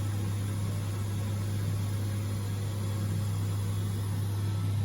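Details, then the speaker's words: Electric water heater on 240 V with repeatedly tripping high limit and a poorly regulating thermostat, just reset; steady, even low electrical hum as the heating element energizes, elements tested good. "So now I can hear that the heater element is going, and if I would check it right"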